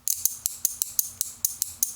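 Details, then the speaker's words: Relay coil energized without diode across it: crisp, evenly spaced clicks about five a second in a quiet room; relay pulling in and releasing normally. "So, I'll apply some current to the coil of this relay, and you'll hear it click normally."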